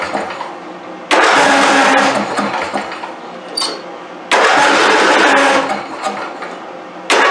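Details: Craftsman YT4000 hydrostatic riding mower, years without oil changes or maintenance, boosted dead battery: three cranking bursts, engine catching roughly then fading each time, hard starting, needs full choke every restart; owner suspects the carburetor idle jet.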